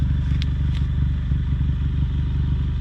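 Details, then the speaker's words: Ford Mustang EcoBoost at idle after swapping Accel spark plugs back to factory plugs to cure a low-rpm misfire that appeared in cold weather: a low, even exhaust burble with no stumbles, much quieter than before. "And I can actually tell you what, changing these spark plugs out, the exhaust is very much quieter than it was. It's kind of interesting that would change that much. Definitely a lot quieter at idle, that's for sure."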